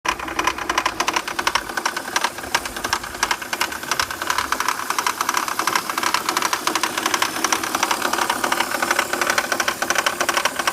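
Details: Fast metallic rattle over a running petrol engine on a BMW 323ci, caused by loose bolts on the power steering pump pulley; tightening the bolts fixed it.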